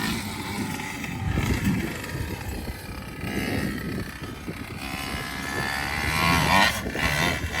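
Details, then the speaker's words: Primal RC Raminator large-scale 2-stroke petrol monster truck on its first test run: loud burbly buzz that wavers and blubbers, revs swelling later; it started fine but seems to run rich, so it is being leaned off a little. "as you can hear it's started fine it's running a little bit ripped I think so we're leaning off a little bit"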